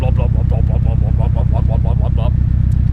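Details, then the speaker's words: Nissan 240SX with built SR20DET on first start-up and break-in: lumpy idle pulsing in a regular beat about three per second over a low rumble, the normal lope of bigger performance camshafts. "I guess it would be a rougher Idol but we call it the man's Idol I personally like it"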